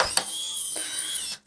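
A short, quiet high-pitched whir of about a second, then a click and silence; the lock motor is driving and seating normally.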